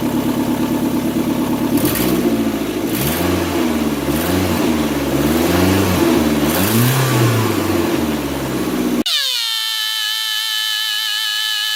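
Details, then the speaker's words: 2002 Kia Sportage with a misfire complaint, after valve cover gasket and spark plug replacement, exhaust pipe not yet installed: a loud, raw, puffing engine note rises and falls with each throttle blip; many exhaust leaks. "And well, as you can hear, even with a hose hooked up, still wouldn't have mattered as many exhaust leaks as it got."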